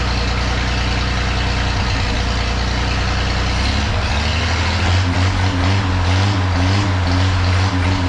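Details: 1932 Chevy truck after tune-up, on short local drive: firm steady idle settling into even lower note, no misfires or stumbling; running like it used to.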